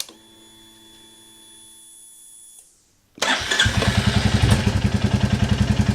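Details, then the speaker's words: 2022 Royal Enfield Classic 350 after valve clearance adjustment: starter whirr, then the single catches and settles into an even thump about three and a half beats a second; normal, apart from a known exhaust blow. "I think it sounds good even if it doesn't at least we know they're right"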